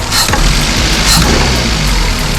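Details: Daihatsu Sirion with the check engine light on and a rough idle: lumpy, uneven idle with occasional stumbles, suggesting a misfiring cylinder; the scanner cannot communicate, the fault is suspected in the ECM or wiring, and the cause is not confirmed.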